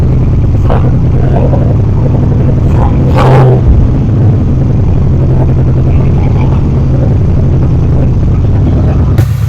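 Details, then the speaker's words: 3rd Gen Camaro Z28 carbureted V8, started with starter fluid, before repair; deep rumble with an uneven, lumpy beat; dead-cylinder misfire where pulling the number two plug wire gave no change despite spark. "I pulled the spark plug wire for the number two cylinder and I didn't hear any change whatsoever. Check spark definitely has spark."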